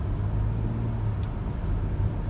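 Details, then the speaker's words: 2009 Ford Flex after sway bar link replacement, driving over a bump on a rocky path: only a low, steady road rumble, no rattle, banging or crackling from the suspension; struts still suspected worn. "yeah you can't hear it anymore oh that's way better of course i know i keep saying it"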